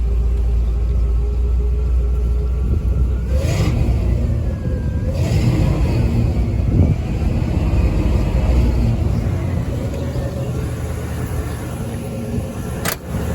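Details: Engine started after cleaning the 2-barrel carburetor and spraying carb cleaner in: a low deep rumble swelling as the throttle is pumped, then settling to a steady idle.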